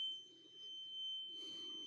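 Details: Carbon monoxide alarm sounding at 01:45 as a constant high-pitched "eeee" tone heard in the hallway; it was later found to be a small cellphone-sized box on the floor. Steady, piercing tone held unbroken over a quiet room.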